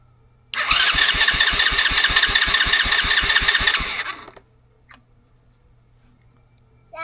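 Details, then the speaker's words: $40 used ATV after new wiring harness install, ground wire fixed and starter fluid sprayed in; engine catches and fires in quick, even beats for about three seconds, starting and running cleanly. ">> Okay guys, it starts. >> That is all good. >> Starts."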